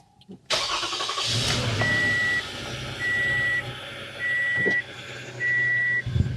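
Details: 2017 Toyota Sienna 3.5 V6 after spark plug replacement with Denso iridium plugs: cranks briefly, catches fast and settles into a smooth, even idle under a repeating dash chime. Starts and runs healthy.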